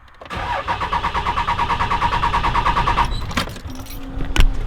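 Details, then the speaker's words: Cummins diesel truck: starter churns about six even pulses a second for nearly three seconds, then stops without catching after new parts; owner suspects injection pump, lift pump or injectors. "nope didn't fix it"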